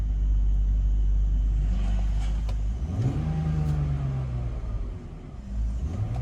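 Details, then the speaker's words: 2000 BMW 328Ci after replacing a misplaced air hose (air leak) that caused starting then dying; low uneven idle rumble swelling and settling, holding rpm but rough; spark plugs to be checked next, cause not confirmed. "Still feels like it's a little, the idle is a little off."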